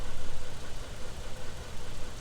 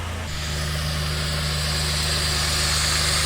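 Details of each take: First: 2010 Dodge Ram 3.7 with a replacement engine, fitted after the original broke a valve seat; check-engine light on. Deep, lumpy, surging idle; after about 5 minutes it still puts condensate and bubbles out the tailpipe, indicating a blown head gasket. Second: 2010 Dodge Ram 3.7 after a second replacement engine, smooth even idle with a steady low hum and no stumbles; no misfire, no check engine light. Normal idle.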